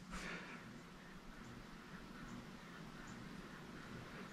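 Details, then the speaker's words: Newly installed bedroom ceiling fan on speed three (low): quiet hum with a faint, high bearing chirp repeating about every three-quarters of a second; possibly needs break-in, otherwise unusable. "let's go to the three which is low oh i still hear the bearing hopefully that goes away"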